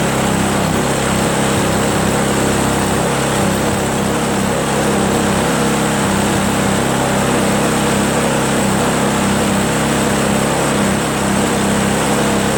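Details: Craftsman 522 four-cycle single-stage snowblower, left outdoors with water in the tank, line and carb, running on a very cold day after the tank was drained, the carb cleaned and the fuel lines and primer hose replaced. It holds a steady, even buzz with no misses: fixed.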